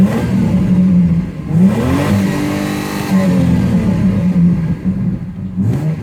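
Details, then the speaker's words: Ford BA Falcon inline-six after ignition coil replacement, fully warmed up: revs smoothly, drops back and holds an even idle with no stumble or miss; misfire appears fixed. "We'll stop up here and have a listen to the idle now that it's warmed up well and truly. I think we got it sorted."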